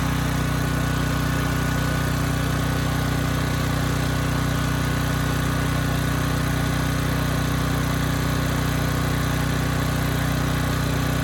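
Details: Briggs & Stratton Elite Series generator (model 030471-01), stored 5+ years and repaired from 35 V to 120 V output: deep, steady even hum at constant speed with no hunting or misses under a 3000 watt load; engine running healthy.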